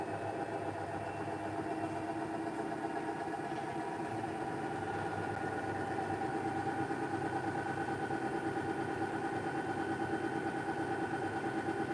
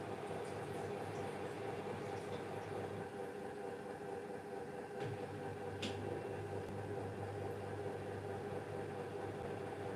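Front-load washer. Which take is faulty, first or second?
second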